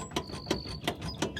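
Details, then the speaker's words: 2001 Dodge Dakota 2WD 5.9L gas, front wheel jacked up and rocked: sharp metallic clunk about three times a second from severe side-to-side and up-and-down play; worn front wheel bearing near failure, though it made no typical bearing noise driving. "a lot of side to side play, up and down play. I mean, this is severe. That wheel bearing's getting ready to come off."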